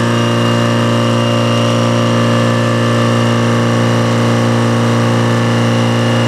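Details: Detroit diesel that sat a long time, fuel air bled, just started and warming: loud, steady idle with an even, unchanging beat, no knocks or misses; oil pressure up, charging a little, no smoke, belts loose; normal idle.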